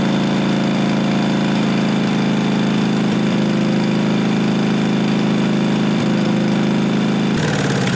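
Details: 1998 Briggs & Stratton Vanguard 16HP horizontal-shaft V-twin (Model 303447), temporary exhaust, on replacement fuel pump: loud steady putter with even beat under exhaust rasp, no stumbling or misfire; runs normally on its own.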